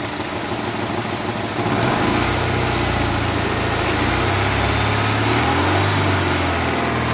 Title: Ticking noise